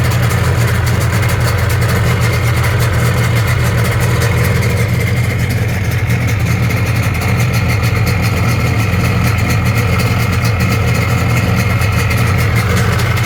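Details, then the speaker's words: Rebuilt 1997.5 Sea-Doo GSXL, 951 two-stroke, during break-in on richer premix plus oil injection, on the ramp after passing water test: steady even burble, smooth low drone, no knocks or misses; idle sounds clean though it rode unusually rough. "Okay, so all that sounds good there, but riding it, I'll tell you, it runs really rough and not usual rough for break-in."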